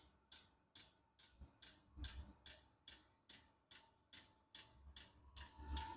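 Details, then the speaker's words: Unboxed diesel heater running after first start, pumping out a lot of heat: crisp, evenly spaced fuel pump ticks about twice a second over a quiet hum; normal running. "gonna lie it's a little bit scary so for under 200 bucks pretty cool pretty cool and it's pumping out a lot of heat"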